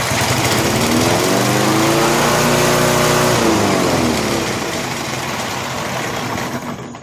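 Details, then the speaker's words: Free vintage Snapper walk-behind mower, electric start, no choke, little gas in tank: engine climbs quickly to a high screaming speed, holds, then sags back unevenly; engine overrevving from the faulty governor. "revved up pretty good, didn't it?"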